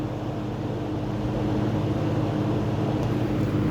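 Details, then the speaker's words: Early-1970s Kmart/Lakewood P-23 20" box fan with metal blades and a McMillan motor, on high at about 2.6 A and almost 200 W: a steady low hum with a soft airy rush and even blade beat, no rattles or scraping; normal running. "And this thing moves a ton of air. Definitely more than the plastic blade models."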